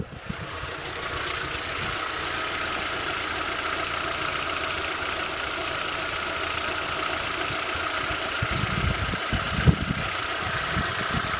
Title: Стук гидрокомпенсаторов на горячую VW Passat B5